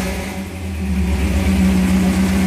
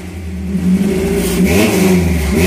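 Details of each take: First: 1978 Toyota Hilux pickup after swap from 20R to a 22R engine, carburetor barely touched, vacuum lines sorted: revs smoothly up from idle with a deep, even exhaust rumble and no misses or knocks, recorded on a phone; healthy running. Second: 1978 Toyota Hilux with swapped-in 22R petrol engine, three throttle blips with a buzzy rattle on each rev rise; exhaust vibrating, one pipe temporarily held with wire or rope until the right pipe is fitted.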